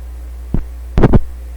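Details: BSR 610 record changer in a Dominion Electrohome TR50 console receiver, newly installed cartridge with one channel dead: steady low mains-type hum with handling thumps; cartridge lead wired to the wrong pin.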